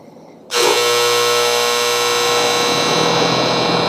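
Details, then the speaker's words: Loud, steady high electrical buzz snaps on when the upstairs AC thermostat calls for cooling and holds unchanged; the outdoor condenser unit runs but buzzes. Cause not confirmed; a replacement contactor is later fitted. "turn this unit on, although it does work, it's actually producing a really high-pitched buzzing noise, and I'll show you that here in just a second."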